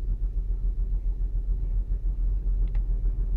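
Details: 2008 Saturn Outlook cold-start misfire: low, lumpy cold idle pulsing three or four times a second with uneven firing. The owner wonders whether commanded air/fuel ratio dips during open loop, a possible computer glitch, are the cause; cause unconfirmed.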